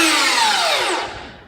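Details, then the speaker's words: DeWalt FlexVolt 120V max 12-inch sliding miter saw with Diablo 100-tooth blade spinning down: whine falls smoothly and fades evenly with no cymbal-like ringing or blade vibration, a clean normal spin-down. "hear that silence there's no bleed vibrations so you don't hear that it sounds like a cymbal almost on a drone set so you don't hear that with the Diablo blade"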